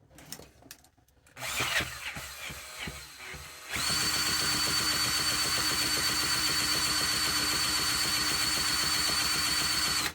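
A steady high whine from the starter spins the engine for about six seconds without a single firing stroke, so it cranks but won't start. Cause suspected, not confirmed.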